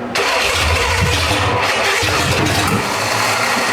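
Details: Old Monte Carlo hot rod with replaced cylinder heads, start attempt 3 with distributor being adjusted: cranks and sputters with uneven bursts, never settling; timing suspected, direction unclear, with a fire needing extinguishers.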